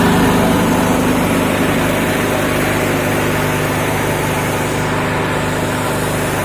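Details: Honda GX240 petrol engine restarted after sitting unused for days, run at about half throttle: steady, even beat with no misfire, knock or hunting. It is running normally.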